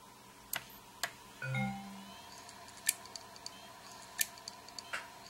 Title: WD Elements WD10JMVW - click of death